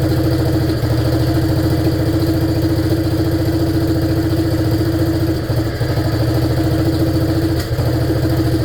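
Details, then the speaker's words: 1947 BMW R35 motorcycle run after sitting for years, gearbox issue noted; loud low thumping idle that stumbles and dips around 5 and 7.5 seconds, possibly lean (suspected); owner notes it isn't drawing fuel well; uneven running. "But yeah, good news. The boy is running and sounds not so bad."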